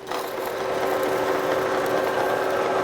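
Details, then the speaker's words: Kearney & Trecker 2H horizontal mill, vertical head attachment on its first run, no end mill fitted: steady even whir with a light patter about four per second, no knocking or grinding; gear head runs sound. "Let's ease into this, and oh yeah, it's turning just fine. Everything sounds good. Everything looks good."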